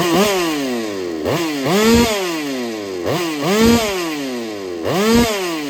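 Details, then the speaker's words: Holtzfforma 395 chainsaw being ported for racing, squish measured at 0.018 in versus 0.028 in wanted, first short run: revved up and down about every two seconds with a light metallic rattle; owner suspects the too-tight squish, unconfirmed. "But if you pay attention, you're going to hear that like rattle to it. And I don't know. We're going to find out though. We're going to find out if it's because my squish is too tight."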